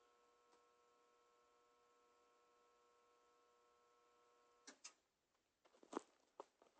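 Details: Whirlpool ACQ122XK0 window A/C, about 15 years old, long in storage, set to Fan Only: steady electrical hum with no air rush, then a few clicks; unit powered but fan not running, owner unsure if compressor or fan fault.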